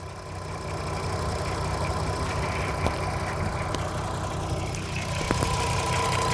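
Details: VW Golf R32 3.2, 57 reg, 92k miles, idling at the start of a carbon clean with the machine hooked into the air intake: uneven idle with loose, irregular tapping about four times a second; an hour later it ran quieter and smoother.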